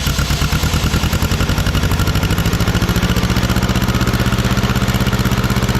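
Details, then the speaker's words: 1950s barn-find Schramm air compressor engine after carburetor adjustment, previously unable to hold rpm when unloader kicked in: steady even low thumping, no misses or surging; running normally. "i played with the carburetor a little bit seems to be working good"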